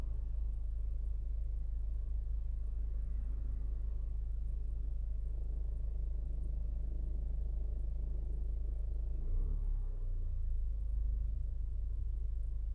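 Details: 2016 Ford Focus at idle: low steady rumble with a faint rapid, even tapping about three or four a second; revving slightly makes it stop for some seconds before it returns; cause unknown.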